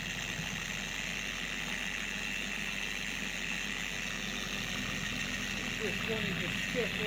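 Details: Four-year-old Carbon Collective DA random orbital polisher screaming at higher speeds: harsh, high hiss-like scream over the motor with an uneven wobble, pad creeping across the panel, from degraded gear-head grease later replaced with red lithium grease.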